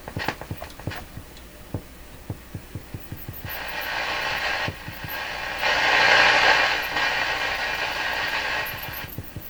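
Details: German Graetz Polka tube radio after replacing molded capacitors and cleaning controls; steady low putt-putt pulses about four a second then hiss, motorboating oscillation later traced to a failed wire with corroded conductor.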